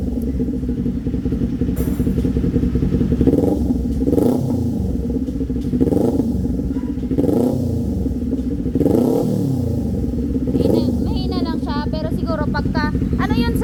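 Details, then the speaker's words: Kawasaki Z400 before repair: bike pulls through revs with periodic surges and crackly popping on the overrun; owner reports backfire from the exhaust when riding. "Okay so Ayan pagka tumatakbo daw siya lumalabas daw yung back fire niya talaga"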